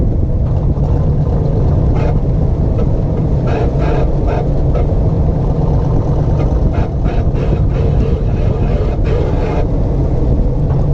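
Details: 1958 Corvette driven in tight left-hand circles, with low engine and road rumble plus rough scratchy grinding bursts from the right rear wheel. There is no noise in tight right-hand circles.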